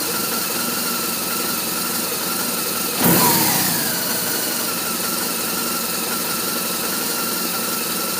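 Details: BMW R1200RT motorcycle, part 2: a steady idle with an uneven, lumpy beat and a brief rev blip partway through; rough idle, cause not evident.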